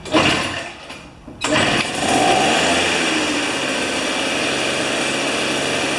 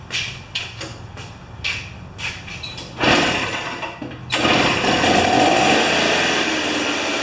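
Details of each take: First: Old two-stroke snow thrower, sat unused for years with old fuel, spark confirmed with a neon indicator, RJ19LM plug. Carburetor cleaner poured into the plug hole; after a pull it catches and buzzes high and steady, running longer than expected on the prime. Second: Old two-stroke snow thrower that sat about two-plus years, now running on a 40:1 mix with the choke on. Several pull-cord yanks, then it catches and holds a steady, buzzy, high-pitched run, running fine.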